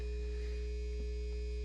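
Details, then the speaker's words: Old Sears electric guitar through an amp: loud, steady low hum with a fixed higher tone and no string sound; ground hum from a bad or dirty output jack connection. "what you're hearing is a really loud hum from this guitar now normally I don't really care if they're a little noisy"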